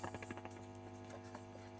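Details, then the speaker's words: Fender-style valve amp with reverb turned up after replacing V4 (reverb recovery/gain stage 12AX7) and checking the reverb driver: constant low hum under taps on the tank, no reverb return at all; tank found mounted 180° wrong, cause still not found. "So, reverb up. We still got the hum. Hit the tank. Okay. So, the return side is still not working. Still got the hum."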